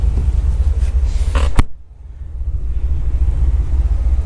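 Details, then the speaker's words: Turbocharged 2012 Chevy Caprice, E38 HP Tuners tune, cammed V8 with muffler, oil in exhaust from return line: deep lumpy idle sags then recovers, idling around 700 rpm; idle speed set too low, to be adjusted. "It sounds pretty good, but it's just not 100% yet. So I'm actually going to get out of the car now and let you guys hear what it sounds like currently idling at around 700."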